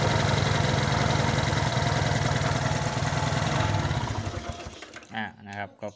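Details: Suzuki Smash motorcycle with sidecar, hard starting and not accelerating, loose worn engine: steady low thumping idle, slightly uneven, then dies away; mechanic found fuel tap leaking into the vacuum line, now passes, running acceptably.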